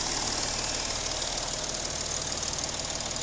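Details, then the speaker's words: Porsche Cayenne 3.0L TDI V6 diesel idling with harsh, uneven clatter; engine misfiring as three injectors on one bank return not a drop of fuel, dead and needing service. "देखिए इसमें से थोड़ा भी एक बूंद भी return नहीं हो रहा है ये तीनों इंजेक्टर डेड है ये तीनों इंजेक्टर अपने को सर्विस करना पड़ेगा"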